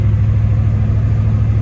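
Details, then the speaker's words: 1989 Ford F250 after a BW-1356 transfer case swap, in four-high cruising at 35 mph: steady low drivetrain rumble with no grinding or clunking. Four-high works; the bushings still need replacing. "working, no grinding. This is way better than what I could have done"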